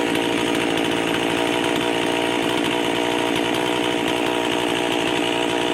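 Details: Rebuilt Stihl MS311 chainsaw with new piston and rings, mild porting, muffler mod, homemade carb gasket, warming up and cutting wood: high steady two-stroke scream holding speed through the cut, no bogging; healthy under load.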